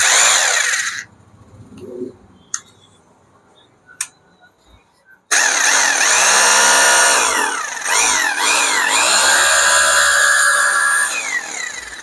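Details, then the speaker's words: Hammer drill switched on after servicing for a grinding bearing noise, carbon brushes refitted, back cover still off: motor spins up to a steady high whine with an even rattle and no grinding. It runs normally. "Okay ആയിട്ടുണ്ട്."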